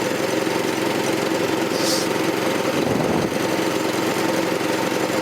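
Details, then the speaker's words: 1984 Troy-Bilt tiller with a 6.5 HP 212cc Predator engine, running on a replacement short-nose spark plug after two bad plugs: steady, even, fairly quiet chugging with no misses or knocks; runs smoothly. "It's running though. Sounds good. Fairly quiet."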